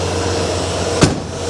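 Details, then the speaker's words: 1982 Ford F150 idling. A thin, constant buzz rides over the idle with one brief knock; the source of the buzz is unknown. "there's something buzzing hear that buzzing i hear something buzzing i don't know what that is"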